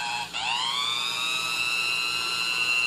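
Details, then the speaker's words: Vintage, barely used Sunbeam Mixmaster Junior hand mixer after cleaning and lubrication, original cord kept, on low speed with beaters fitted: smooth steady motor hum spins up within half a second and holds an even pitch with no rubbing or rattle. "Oh we'll go ahead and we'll run it through the gears here and let you hear it and I thought you saw beaters in here so that you know you can see did the speed of beaters rotating all that there's our low speed"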